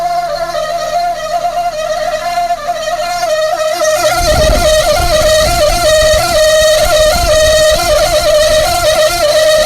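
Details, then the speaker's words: Car electric radiator fan running after being tapped: loud, wavering high whine from a worn bearing in the fan motor. "Nah, itu suara berasal dari mana Mas tadi itu? Nah, itu suara itu berasal dari bearing, Pak. Jadi motor van itu tetap ada bearingnya."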